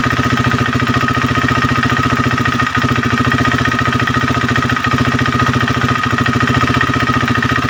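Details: KTM Duke 390 V2 single-cylinder at idle: light fast ticking over even idle, not from the engine head but from the solenoid-operated purge valve between EVAP canister and throttle body, ECU-signalled. Normal purge valve ticking.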